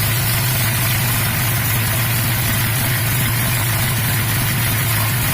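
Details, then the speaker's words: 1990 Mustang GT with a freshly swapped replacement 5.0 V8 (old block seized), just started: deep, steady idle with an even low rumble and no knocks or misses; sounds really good. "we still got some gangsta workout she sounds really good"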